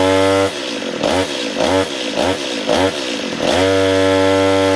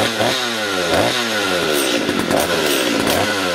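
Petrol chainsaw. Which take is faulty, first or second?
first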